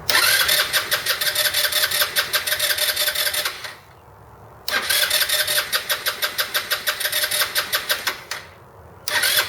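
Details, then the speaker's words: 2008 Roketa Sicily 150 scooter: two bursts of fast, even starter cranking with no firing; won't start even after vacuum lines were cut to two. Owner suspects an air leak. "all right so as you can see it's still not starting it's still not wanting to uh work correctly"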